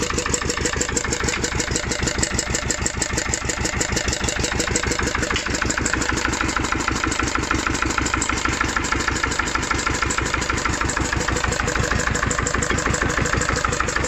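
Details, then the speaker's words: Old ES 320 single-cylinder diesel, first start after about a year, running on used gear oil: slow, even thumping idle without knocks or misses, also coping with added load; runs cleanly. "maszyna pomimo swoich lat nie widać pracuje pięknie"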